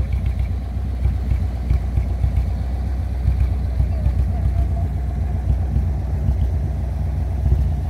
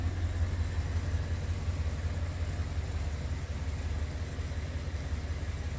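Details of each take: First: 1957 Ford Thunderbird V8 before repair, after sitting about 14 years and barely driven; deep, lumpy idle with uneven beats and no steady rhythm; running rough and misfiring before the ignition replacement and carburetor tune. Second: 1957 Ford Thunderbird, after a full ignition replacement (Pertronix module, new coil) and a tuned, rebuilt carb, with an exhaust lacking resonators: low, even, smooth burble at idle with no misses or ticks; a brake-booster vacuum leak is still noted.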